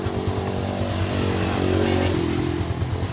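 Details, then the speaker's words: Yamaha Jupiter Z1 single-cylinder kick-started with battery removed, ignition rewired to a Satria FU regulator: steady, even low thrum at constant pace, no misses or knocks; runs healthy without battery. "ini tanpa aki teman-teman ya tanpa aki nih tanpa aki tapi pakai kiprok Satria FU jelas ya teman-teman"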